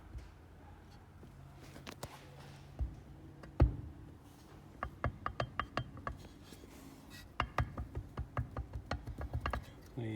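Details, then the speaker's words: 1979 Escort RS2000, driver-side strut off the car and stripped with spring removed: sharp hollow clunks about three a second as it is shaken; strut insert loose inside the case; loose insert knock. "uh strut inert wasn't actually tight so that would have knocked about and you would to strip the strut off and uh strip it down to to cure it"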